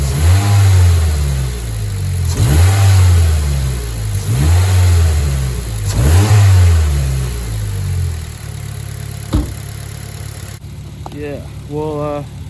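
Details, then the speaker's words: Warm Mazda 3 after new NGK spark plugs and breather filter mod: four clean throttle blips rising and falling smoothly with audible intake suck; healthy engine revving freely. "gave it a few revs off camera and you can hear the you can hear the intake sucking finally so I'll set the camera up and I'll rub it for you guys and you can hear it"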